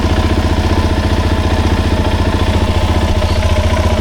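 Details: 2007 Suzuki DRZ400S, 11,000 miles, after cold start on choke with freshly cleaned carb: even, steady single-cylinder thump about four pulses a second, no misses or knocks; normal, pretty good idle.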